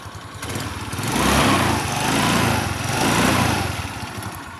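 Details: Rusi Passion scooter that wouldn't start, after checking loose wiring/ignition switch connections to the accessory supply: small engine catches and runs, revving up and down in smooth waves with an even buzz, no misfire; normal running after start.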